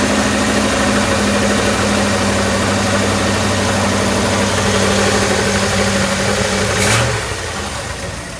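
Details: 1965 Chrysler Imperial LeBaron V8, abandoned over 20 years, running on a new Edelbrock carburetor and with a large exhaust leak: a steady, even idle with a firm, regular rumble and no misfire or knocking before the revs drop near the end. Normal idle.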